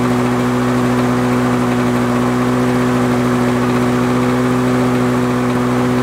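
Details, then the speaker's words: Lawn Boy 4651 two-stroke mower from the eighties, first start after about six months in a storage shed over winter: high, steady buzzing drone at full throttle with constant pitch and no misses; it runs quite well. "so I reckon that runs quite well considering its sat in the bloody storage sheds for I don't know six months or so"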